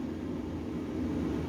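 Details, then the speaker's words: HQ Holden Kingswood with newly installed Vintage Air A/C, blower on dual face-and-feet mode: steady even airy whoosh with low hum, no ticking, rubbing or wobble, blowing to feet and face vents; fan runs smoothly. "Fan's still blowing that paper so it's still going to feet and it's also blowing out of this vent here now to blow cold air at your face out of these two vents"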